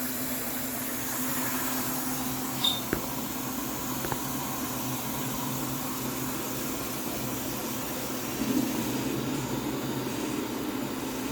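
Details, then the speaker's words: Return fuel system venturi siphon tube, functional test with pressure raised to 40 after regulating down to 20. Steady airy hiss over a faint low hum as the siphon pulls vacuum normally. "don't know if the camera's gonna pick that up but i can hear the vacuum"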